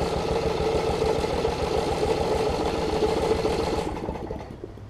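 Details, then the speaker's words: 1981 Snapper RER rear-engine mower with water in the fuel, just fitted with a new battery: irregular weak pops about three a second while cranking, never runs; water on the spark plug, to be cleaned. "got some water on the plug let me clean the plug off real quick that should solve ur issue because I can hear it trying to pop pop pop pop"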